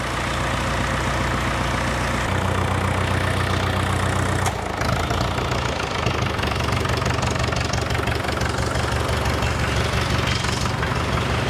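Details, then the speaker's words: 1942 International TD6 crawler dozer diesel engine started on gasoline (carburetor, magneto, spark plugs) in gas mode, running cold for a couple of minutes to warm up before switching to diesel; deep, steady idle with slight pitch change: normal idle. "I'll let it run for a couple of minutes get some heat in the engine and then switch it over to diesel"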